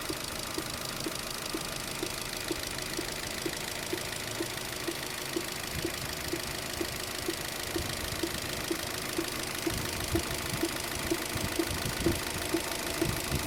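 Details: Opel Zafira B 1.8 Z18XER 140 hp engine at idle: sharp, regular tick about twice a second over a steady idle; a clear knock in the engine, cause unknown.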